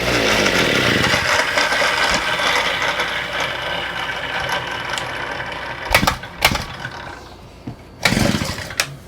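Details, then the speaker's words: Small engine on a bench with a new Chinese carburetor, its reversed fuel pickups just corrected, buzzes briefly at high pitch then fades and dies, followed by bench clatter; sounds fuel-starved, owner suspects a kinked fuel line, engine stalling. "You know what I think the problem is? There is a little kink in this line."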